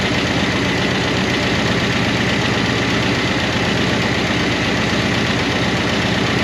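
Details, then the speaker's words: 1988 Monte Carlo SS V8 run after sitting over 20 years, idling roughly on a temporary fuel tank: a fast, uneven light ticking from noisy lifters/rocker arms. The owner hopes it will quiet down. "Hopefully, these lifters quiet down cuz uh they've been raising cane."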